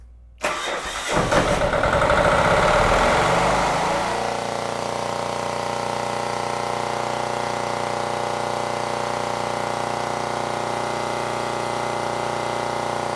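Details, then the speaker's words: Generac XD5000e diesel generator, Yanmar L100 engine, marine tug-boat use: after new 25uf capacitor fitted, cranks, catches within a second, revs briefly, settles to even steady run; voltage now almost exactly 120; normal start. "So the new capacitor now has the machine running at almost exactly 120"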